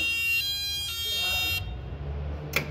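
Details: Raymond Reach 7400 Series reach truck, keyed on with the deadman pedal pressed: a harsh, buzzy alarm tone lasting about a second and a half over the steer motor's normal chattering signals intermittent fault code G4; the steer motor and main harness were already replaced without fixing it.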